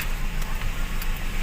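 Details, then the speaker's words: Toyota Vios after a throttle body cleaning to fix a too-low idle that stalled, AC off: low, even idle with a steady beat and no misses or hunting, good at about 800–900 rpm. Normal idle. "mostly ang normal na idol pm niyan ay mga 600 to 700 ag ganyan mga 900 800 maganda na yan"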